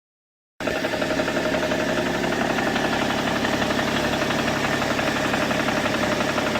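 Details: BMW E61 525d diesel at idle: regular tapping about four per second keeping time with the engine; abnormal engine noise of unknown origin, owner asking what it could be.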